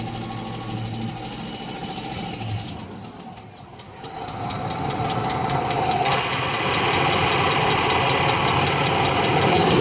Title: Engine knock